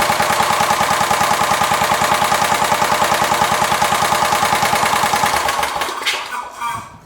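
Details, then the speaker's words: Kubota riding mower that died with a horrible noise and sat for years, run on fuel poured into the air cleaner: sharp rapid popping exhaust about nine per second with rattly edge, then dies; owner suspects a slightly bent valve. "I do think that valve got bent a little bit in that debacle of what happened when it fell out, but it runs fairly decent for, well, having that happen to it."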